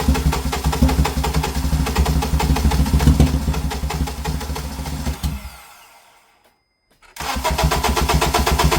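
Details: 2007 Acura TSX, towed in with dead battery, earlier vibrating and running poorly, no check engine light: starter spins the engine with an even, quick cranking beat but it never catches; crank no start.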